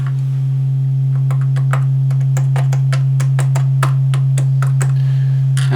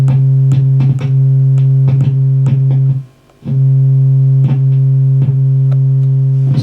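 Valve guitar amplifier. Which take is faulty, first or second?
second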